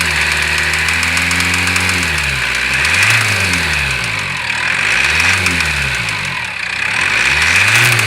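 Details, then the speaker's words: Cummins diesel in a GAZelle Next, revved up and down: a sharp knocking of about four per second rides over the engine and appears as revs rise; engine knock, cause not confirmed. "О, начало стучать."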